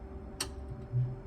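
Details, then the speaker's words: 2002 IH motorhome space heater set to heat: low steady fan hum, then one sharp igniter click after the wait as it lights and starts pumping hot air; normal heater ignition. "there you go so it's basically just lit up and it will carry on pumping out the hot air until we get to whatever temperature we we set it to"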